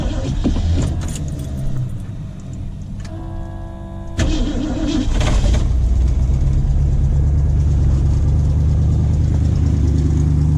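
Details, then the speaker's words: 1973 Ford Maverick Grabber V8, first runs after sitting 20–25 years; key jingle, short crank, then a lumpy, uneven idle; ignition timing badly off. "I've got to fix the timing. It's pretty bad."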